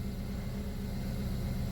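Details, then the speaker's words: 2012 Buick Verano 2.4L idling after intake and exhaust camshaft actuator solenoid replacement and clearing codes; short, steady even low rumble with no misses, knocks or ticks; smooth idle, owner notes worn solenoids cause rough running. "but as far as my car sounds, it sounds like it's running smooth, which is typical of the camshaft solenoid. It'll run a little rough if those need replaced, but mine sounds good."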